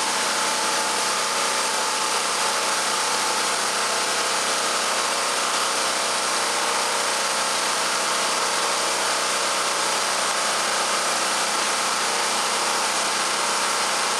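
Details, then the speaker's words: Champion 46514 generator (3500W rated/4000W peak), about 3 years old, with a fan load switched on through a Kill A Watt meter; voltage reads slightly above household. Steady hum with fan hiss, no hunting: normal running under light load. "now when I turn on the power you may hear the fan that I have hooked up running so then we'll know for sure and you should also uh hear the generator surge a little bit with the load from the"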